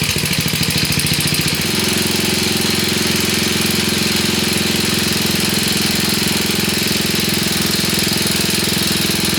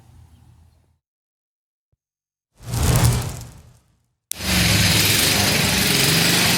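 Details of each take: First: 1966 Sears Custom lawn tractor, first start, with choke: single-cylinder chug settling into a loping, uneven idle; idle needs adjusting, owner unsure what is burning off, possibly a holed block. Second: 1966 Sears Custom lawn tractor single-cylinder engine, about 50 years old, after carburetor and points ignition work: fires up and settles into a strong, steady, even run with no misses; smokes but sounds healthy.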